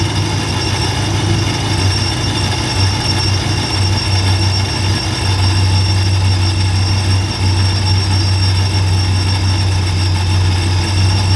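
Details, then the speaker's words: First start of a Ram V8 after fitting a TorqStorm supercharger, intercooler piping and blow-off valve, battery freshly charged: loud, deep, steady rumble with faint high whine, no knocks or misses; healthy supercharged engine. "holy [ __ ] guys frostbite sounds ridiculous like oh man I am got the biggest goosebumps right now"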